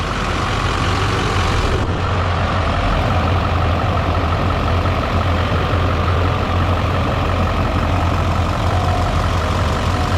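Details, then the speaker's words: Newly installed engine, running to hunt an oil leak, apparently traced to the turbo oil feed line: steady, even idle with a smooth low rumble and no knocks, misses or odd noises; engine sounds healthy. "I'm going to start this engine and see if I can't see oil while I'm up here we'll see if we can't see the leak"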